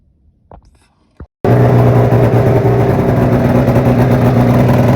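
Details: Polaris Fusion 900 two-stroke snowmobile that started then shut off, after the fix: the loose flywheel inner ring had rubbed through a wire. After a couple of clicks it fires and holds a strong, even rev without cutting out; healthy.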